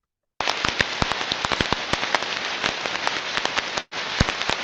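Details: Ultrasonic inspection (Ultraprobe 15000, ~30 kHz range) of a rolling bearing: loud dense irregular crackling and popping like firecrackers over a hiss, indicating severe bearing damage versus a healthy bearing's uniform rushing sound.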